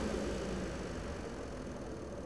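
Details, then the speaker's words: Engine off, key turned on: the electric engine cooling fan, switched by its sensor and relay, cuts in with a steady, even whoosh of air and no rattle or hum. This is the normal noise, clearly audible without the engine running. "you're going to see the engine electric cooling fan cut in now that's the amount of noise that it produces you can hear it quite clearly without the engine running"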